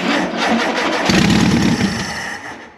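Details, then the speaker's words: 1973 VW Super Beetle barn find, sat 17 years: starter cranks, the flat-four catches and runs a few seconds with an even beat before dying; first start, fuel pump uncertain. "just to hear that it runs oh it's so great I gotta send the owner a video real quick"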